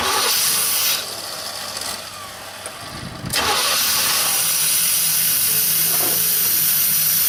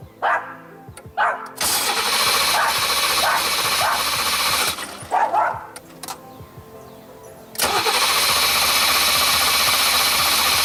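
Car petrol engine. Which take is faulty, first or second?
second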